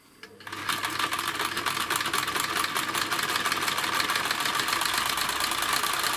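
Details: Necchi 559 household sewing machine (2001), stitching material after hook and bobbin-case reassembly while checking adjustments against knocking and thread breaks: fast, even clatter about four stitches a second, no heavy knock. Normal running.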